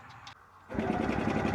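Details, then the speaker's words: 1970 Willam Fourgonnette micro van, 125 engine unrun for 20 years, cranked with spark plug fitted: even, rapid cranking with a firm regular chuff each turn; compression sounds healthy. "Yeah. Yeah, it does sound like it's got compression."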